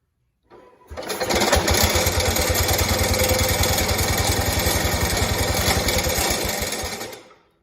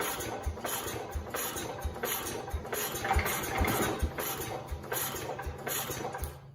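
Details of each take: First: 1969 Cub Cadet 105 single-cylinder, hydrostatic transmission pump removed to chase a hard-start problem: fires right up, runs with a steady, even beat about six seconds before shutdown; starts normally. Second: 1969 Cub Cadet 105 with a chronic hard-start problem, choked after sitting a few minutes: steady starter chugging, about two compression strokes a second, never catches; cranks but won't fire, owner suspects a dying battery.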